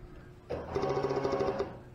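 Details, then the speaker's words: New EFI fuel pump for a Sniper EFI install on a 1987 Chevy El Camino, bench-tested before installation on ground and 12 volts: a brief, even electric whir with a light buzz, starting and stopping cleanly. The pump works. "it does work so I don't have to worry about whether I've got a bad pump right off the get-go"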